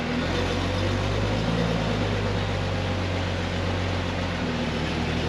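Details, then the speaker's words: 1999 Jeep Wrangler TJ Dana 35 rear differential after bearing rework, RTV sealed, fresh oil, on a jack with wheels spinning: steady even drone, no whine, clunk or grind; differential sounds healthy. "It sounds good, I don't hear anything."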